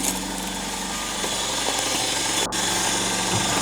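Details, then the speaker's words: VAZ 21093 1.5 engine at cold idle: light, uneven ticking about three per second over the engine hum, likely from the top end; disappears when warm; valve clearances adjusted and within spec, owner suspects loose tappet cups with some play. "вот сейчас сейчас их отсчёт сево слышно когда машина холодная когда она прогреется они сразу же исчезнут"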